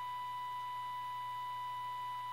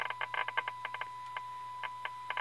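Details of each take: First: 1932 Tiffany Tone Model 5 radio (complaint: lights up, no sound) after a capacitor recap and a tube-pin fix, fed about 465 kHz from a signal generator for IF alignment: a clean, steady, loud tone with no crackle, dropout or hum; working normally. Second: 1932 Tiffany Tone Model 5 radio on test with signal generator at 465 kHz IF, full volume: steady test tone crackles, pops and cuts out for about a second; cause was a cold solder joint on a tube socket pin, resoldered.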